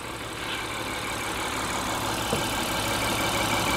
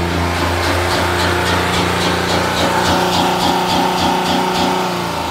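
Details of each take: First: 2016 Honda Pilot 3.5 V6 with P2652 rocker arm oil pressure switch code: steady low, even idle with no hunting after repair, no longer high, at 13.68 V charging. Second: 2016 Honda Pilot 3.5 L with code P2652, check engine light on: engine holds a very high idle with quick regular pulse, then sags and evens out; switch signal voltage bouncing 6–10 V, pointing to faulty rocker arm oil pressure switch circuit.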